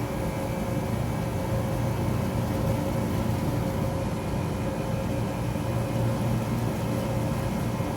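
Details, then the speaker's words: Taylor 8756 soft-serve machine frost test, two independent compressors, one per side, left side switched on in a warehouse at about 78–80°F: steady low drone with an even hum and no knocks; normal compressor operation. "We hear the compressor come on the left side too. This is a big machine with two plugs, two big compressors that each independently run each side of the machine."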